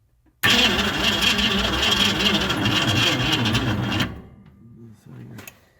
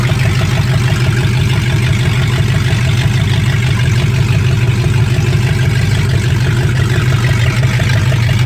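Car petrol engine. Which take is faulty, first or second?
first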